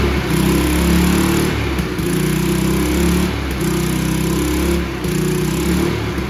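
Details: Free, abused Toro 20333 Recycler push mower, Briggs and Stratton single-cylinder, after quick carb bowl clean removing water and debris: steady putter with slight waver every second or so; running again.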